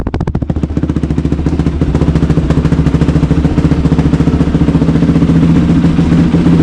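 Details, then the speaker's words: New 2023 Kawasaki KLX110R pit bike with about one hour on it: steady single-cylinder idle with even, regular firing pulses, no clatter or misses. Normal idle. "man that thing sounds great yeah so a 23 KLX 110r literally has about an hour on it"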